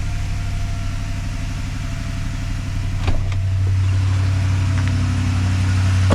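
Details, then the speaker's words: 2015 Ford F-350 6.2 V8 after broken valve spring repair, owner unsure of one rocker shaft bolt torque sequence: steady, even low idle with no ticking or misses, a couple of stray clicks; healthy. "That sounds normal. Let's try it again. I don't hear anything abnormal."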